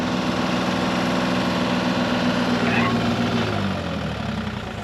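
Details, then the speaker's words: Mini excavator diesel at full throttle driving an attachment: a steady drone that sags and drops away as the hydraulics load it. The engine bogs down to near idle; the owner feels the attachment is robbing hydraulic pressure. "I feel like I'm robbing all of my hydraulic pressure though. Yeah. You can hear the engine bog down."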